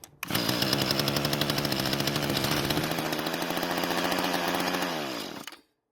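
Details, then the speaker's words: Long-unused Mantis tiller small two-stroke, carb damaged from sitting, primed with fuel: catches, buzzes fast and even for about five seconds then dies as priming fuel runs out; mechanically sound, normal two-stroke running. "Now that's what I call a great sounding engine, and I can't wait to hear it after we fix it."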